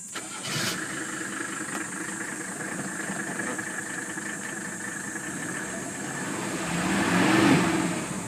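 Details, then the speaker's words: 1981 Mercedes W126 300SD, OM617.951 turbo diesel five-cylinder, restored with new piston rings and bearings, EGR vacuum blocked, new air filter, at idle: steady, even diesel clatter with no rattles, clanks or squeals; healthy engine. "there you go the engine sounds like it should there are no rattling sounds no clanking sounds no squealing it sounds like a very healthy om six one seven Mercedes engine"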